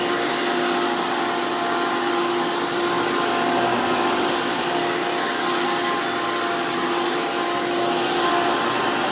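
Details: 2002 Hoover PowerMax II U5246-940 Elite upright vacuum with 12 amp motor and 20-blade fan impeller, after motor work: loud, steady high-pitched roar with even airy rush, no rattles or surging; smooth, normal healthy motor.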